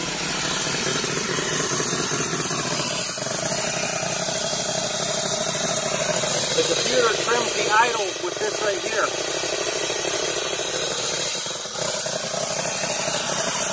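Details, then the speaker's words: 1990 Cadillac Sedan DeVille first running after work, timing being set: steady idle with a sharp puffing hiss and chuff; exhaust leak because the air tube into the catalytic converter is not yet hooked up. "the air tube that goes into the catalytic converter that i do not have hooked up so naturally exhaust leaks out it sounds like an exhaust leak it is an exhaust leak i haven't hooked it up yet"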